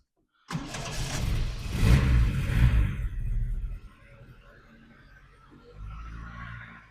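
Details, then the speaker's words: Triumph Dolomite Sprint first start, carburettors not yet set, no alternator, stabilizer bar off: short crank, catches quickly, revs, then settles to a fairly even idle without top-end clatter; healthy start. "So it does sound very nice for a Sprint engine, as these Sprint engines are often quite clattery on the top end where people don't set them up properly. But this one seems pretty good."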